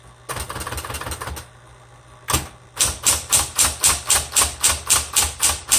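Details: 1960s Smith Corona Coronet electric typewriter, repainted, color selector on black: a steady motor hum under a quick even train of crisp key strikes, about four per second; working normally, a little noisy.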